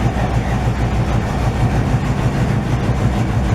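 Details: 1968 GMC truck at first start in 20 years, second attempt: deep, loud, steady lopey V8 burble with no knocks or misses; healthy running with very loud exhaust, only minor leaking.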